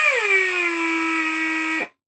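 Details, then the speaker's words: Old Atlas Copco air hoist under test on compressed air: motor whine settles lower as it lifts, with a thin constant hiss underneath from an air leak. "there is a leak something is hissing in this area here"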